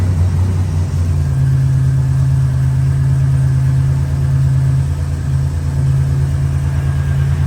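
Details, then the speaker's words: 1987 Buick Grand National turbo, one owner, 32,000 miles, abandoned 12–13 years, running on new plugs, fresh gas and filter: heavy idle with an uneven lope, running rich; gas dripped from the regulator vacuum line, so owner suspects a bad fuel pressure regulator. "This old thing was hard to come off. It hadn't been off in 12, 13 years, but I saw a drop of gas come out of here. So apparently it may have a bad regulator, y'all."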